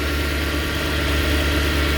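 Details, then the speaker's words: 2010 Mercedes E63 with 173k km on a cold start: a steady, even idle with a faint constant hum from the secondary air injection pump working. The engine sounds fine. "this was a cold Stu the secondary injection pump is working I can hear"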